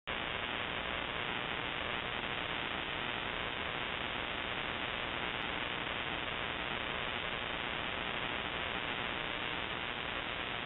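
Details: Shortwave ham radio receiver: constant broadband hissing static buzz, unknown source persisting with house main breaker off, on a timer (off 7:31 pm nightly, returns morning); grow light or powerline suspected.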